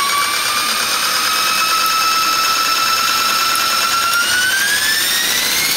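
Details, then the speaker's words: eFlite Blade 400 flybarless RC helicopter, first spool-up after rebuild, out of throttle hold: clean electric whine rising smoothly in pitch, no rattle or wobble; blades straight and appear to track, healthy spool-up. "looking smooth so far. Looking good. Everything's nice and straight."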